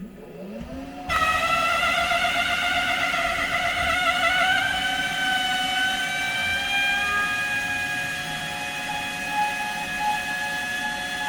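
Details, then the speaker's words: Haas CNC Y-axis servo, a known-good motor swapped in from the X axis, moving during homing with the load swinging between 0 and 100%. A steady whine with wavering tones: the servo is labouring, cause suspected but not confirmed. "well that doesn't sound good so the Y AIS motor here is [Music] moving but it seems awfully unhappy about it"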